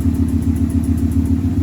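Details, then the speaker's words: V8 with code P0352: rough, lumpy idle with an uneven chuff that comes and goes, an intermittent misfire traced to loose wiring at the ignition coil plug. "But now it's back. And now it's missing. That's what's happening. It's this wire, the plug is loose."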